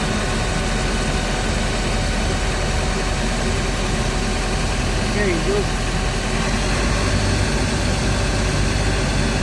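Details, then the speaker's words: Hyundai Starex VGT diesel van after differential clearance adjustment: smooth, steady low hum with no clunks or "helicopter" drone from underneath, previously rattling on acceleration; noise now gone. "Okay na. Wala ng ingay."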